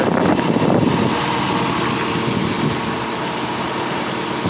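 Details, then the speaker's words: 1985 Cadillac Cimarron, all-original, 43,000 miles, base 2.0L four-cylinder, fully warmed: even, settled idle hum with no misses, knocks or hunting. Owner says it runs perfect, though a tube has come off. Normal warm idle. "runs great all original idle down let it do its thing but it runs perfect it's great"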